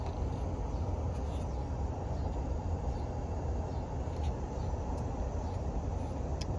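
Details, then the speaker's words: Outdoor AC unit keeps running while the removed condensate float switch is pressed during a no-cooling call where the run capacitor was bad; steady even low rumble; normal running. "We're going to keep this depressed. I'm going to see if this unit cuts off. It sounds like the outdoor unit's still running."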